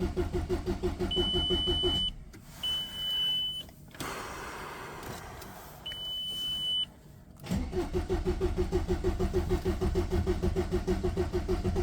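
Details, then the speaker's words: VW Passat in bad condition, started after two months standing with old fuel; long cranking with warning beeps before it catches. Suspected cause: the pump doesn't hold fuel pressure, making it slow to start. "Probably because of that pump there, the car itself doesn't hold the fuel pressure and that's why it's harder to start after such a short standstill, when that pump is solved, the car will gain power and behave better and everything, so we have to solve it, but this is the loss"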